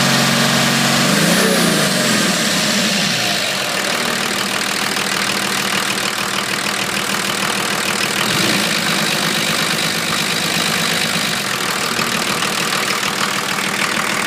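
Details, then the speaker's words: 1980 International Scout II, factory Nissan SD33T turbo diesel just rebuilt, still cold, idle speed drifting down: hard, loud, steady clatter at idle with no rev change; owner unsure whether the cam causes the loudness; loud diesel idle. "it's idling right now at about 7500 and teetering down because it's still cold so uh that's what it sounds like it's pretty loud compared to some of the others that I've Just Seen on on YouTube"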